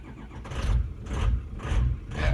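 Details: Diesel truck on a cold start with the ICP sensor and most other sensors unplugged: it cranks and catches, then the idle swells and drops about once a second. A surging idle, cause still unknown.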